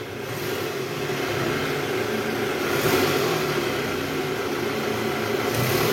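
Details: 2012 Toyota Alphard ANH20 2AZ engine, about 74,000 km, after replacing broken balancer shaft, heard from the side: engine revs smoothly with steady even drone, no knock or rattle; normal revving.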